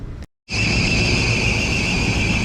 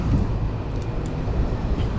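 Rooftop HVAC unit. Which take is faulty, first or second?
first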